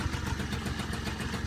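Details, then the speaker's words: Peugeot Speedfight scooter that wouldn't start, after fixing a wrong stator coil; the starter dog may need replacing: small single-cylinder engine idling with a steady, even putter, no misses, knocks or surging, running well. "Good as new Speed Fighter. Maybe. We'll get it running. It's running now."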